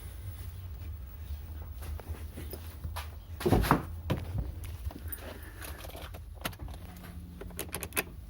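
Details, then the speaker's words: Kia Sportage 2.0 G4KD petrol engine after repair for piston knock: idles evenly with a steady low rumble, no piston knock. "стук поршней не слышно работает Ровно шуршит"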